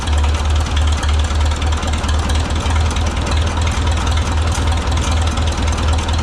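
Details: Oliver 66 tractor with replacement Marvel Schebler TSX carburetor, idle screw backed out after turning in until engine labored: low, even putter with steady firing pulses, no hunting or labouring; normal idle.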